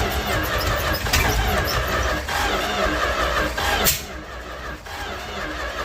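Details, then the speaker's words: 1967–70 Dodge A108 van, 318 V8, three-on-the-tree manual, with timing issues: steady cranking with uneven puffs and a squeal but no start, blowing debris out the tailpipe; owner suspects a packed, clogged muffler. "Good Lord. That just blew stuff out the tailpipe, and I think I should cut the muffler off. I'm guessing it's packed full of crap and it's not wanting to let this thing do its thing, but I think I'll give this old starter a break,"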